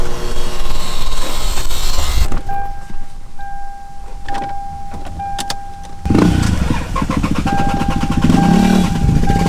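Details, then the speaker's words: Used 2J engine in parts car, sitting a while with old fuel: cranks, catches and settles to steady even idle with deep low rumble; normal start and healthy idle. "It's been sitting for a while, but it runs great. I'm actually gonna start it up for you guys right now so you can see it."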